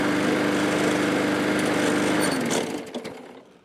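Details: MTD mower engine with gouged cylinder and suspected low compression, treated with engine restorer and oil additive: buzzes at a steady pitch for two seconds, then sags and dies; owner suspects barely enough compression to run.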